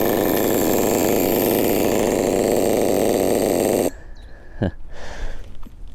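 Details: Nitro RC car glow engine during break-in at full throttle: a high, busy buzzing drone holds steady for about four seconds, then cuts out; it is running rich for break-in.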